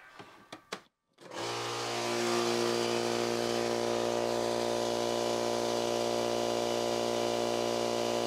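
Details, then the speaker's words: Husky oil-less air compressor, heard at the intake while pumping: steady pump drone with rapid chuffing as air blows back out of the intake; reed valves not sealing. "this is the intake you should not be having air come [Music] out the intake so there's one issue"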